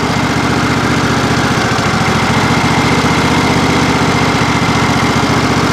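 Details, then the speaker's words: John Deere SST18 lawn tractor, 160 hours, after hydrostatic transaxle fluid change to synthetic, lever forward with no load while cycling forward and reverse: steady mid-pitch single-cylinder drone, engine loading down slightly as it pumps oil; normal, no faults heard. "you can hear the engine load down just a little bit even though it's not going anywhere it's loading down because it's pumping all that oil"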